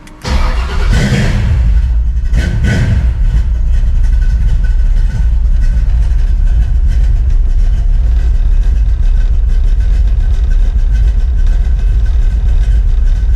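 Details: Freshly built 383 stroker small-block V8 in a 1970 Monte Carlo, after install, with everything wired on relays: cranks briefly, catches cleanly and settles into a strong, deep, even idle with no misfire or knock. Normal start and idle.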